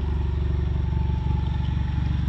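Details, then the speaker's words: EcoBoost Mustang after CRC GDI valve and turbo cleaner, with throttle position sensor and intake air-leak codes cleared: even, steady low idle thrum with a regular exhaust pulse, no miss, no smoke, idling smoother; normal idle. "No? No smoke? Wow. Sounds like it's idling smoother though."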